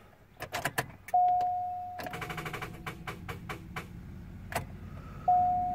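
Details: 2005 Chevy Cobalt that suddenly wouldn't start; starter and starter relay already replaced, battery fully charged. On each key turn there are long bursts of fast, even clicks with no crank or firing; cause unknown.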